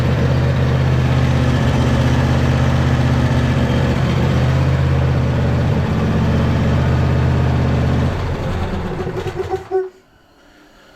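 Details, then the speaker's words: Neglected 2018 John Deere E180 riding mower V-twin, started on a squirt of fuel with choke: fires and holds steady idle about eight seconds, then fades and dies; fuel starvation, rear tank needs fuel pump, pump fault suspected. "the tank on this machine sits a little bit lower than the carburetor or it sits pretty close to level so you need because it's a rear tank you need it to pump up to the carburetor and keep a constant flow"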